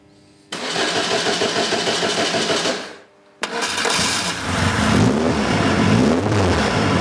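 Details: Van Diemen RF85 race car engine, being prepped for the season, on its first test start after a starter shaft rebuild on a low battery: it catches, cuts out briefly, then restarts and revs cleanly with no knocks or misses, sounding healthy.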